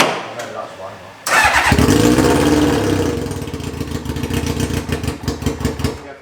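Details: Reliant with a swapped Kawasaki motorbike engine, fuel gravity-fed to the pump: short crank, sharp fire, then a quick, fairly even idle; starts and runs cleanly once fuel reaches it.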